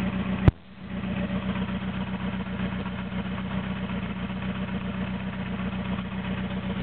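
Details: Toyota AE86 with naturally aspirated 4AGZE on a re-pinned bluetop harness, ECU, injectors and fuel rail, no exhaust past the downpipe: a click, then a hunting, stumbling, lumpy idle with loud raw exhaust; rough, unstable idle.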